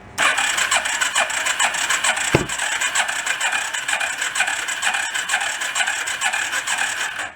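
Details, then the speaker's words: Homemade rat rod 4x4 ATV, long-stored, cranked with a jumper pack on clean plugs: rapid uneven cranking with one sharp pop, apparently back through the intake; compression improving as it runs, intake possibly not sealing and blowing out the carb. "like a pop back through the intake didn't it the compression is getting a little bit better as it runs"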